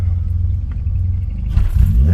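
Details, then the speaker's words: K24A-swapped DC2 Integra on E85 with stock injectors, full 3-inch exhaust, XD1 release bearing making some noise, cold start after map tuned: low steady idle rumble, quick rev blip climbing and settling cleanly; healthy. "But she does run. And I got her idling good. She is alive, boys. She is alive."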